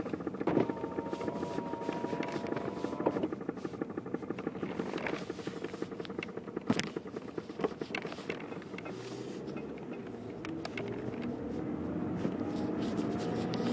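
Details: 2006 BMW E90 6-speed manual sedan reversing at low speed: faint rhythmic light clicks; source not identified.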